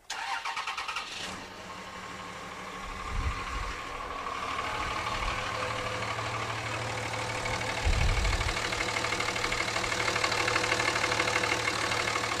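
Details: 2006 5.9L common-rail Cummins diesel after valve lash adjustment: glow plugs cycle off, brief crank, catches and settles into a steady, even idle clatter; sounds healthy.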